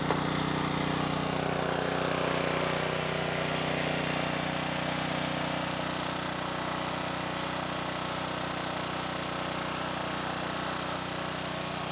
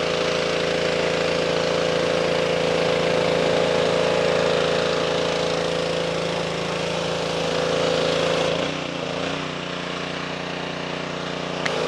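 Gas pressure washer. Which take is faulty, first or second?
first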